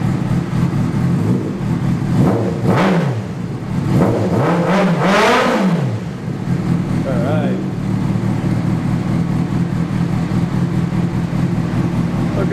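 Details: 2003 Honda CBR600RR fitted with a 2006 replacement engine (after spun No. 4 rod bearing), Power Commander and K&N air filter, before dyno tuning: inline four revs cleanly through quick blips, then settles to a steady even idle; healthy.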